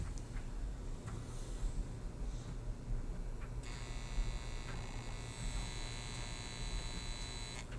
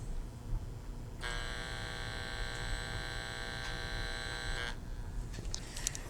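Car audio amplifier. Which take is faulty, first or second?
first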